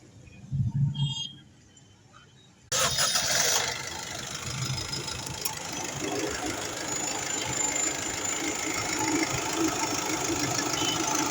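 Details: Honda City engine just after start-up: a quick, uneven knock of about four beats a second rides over the idle; the engine is knocking, cause unknown.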